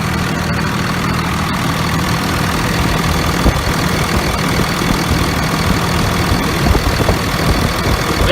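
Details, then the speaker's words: Idle of a 2001 Dodge Ram 2500 Cummins 24v diesel after replacing the failed VP44 injection pump (injectors fine): steady, even diesel clatter with no stumble or miss. Smooth, healthy. "grunts much smoother let me go down by the exhaust so you can hear just how beautiful it sound"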